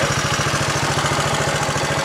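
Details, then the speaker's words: 1966 Honda CL90 (owner unsure of year), rebuilt top end, idling after the battery was recharged: steady chugging idle with a light, fast ticking on each beat; owner thinks the cam chain is slightly noisy. "got the battery charged up i'm just fine now i think i hit a cam chain a little bit"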